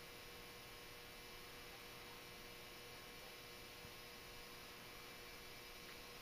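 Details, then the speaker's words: Hubbell 400 W metal halide lamp at startup, still dim and warming up: steady mains-pitch ballast transformer buzz over faint hiss, normal ballast hum as the lamp gets brighter. "that sound the buzzing sound you hear is the ballast resistance to Transformer buzzing away there"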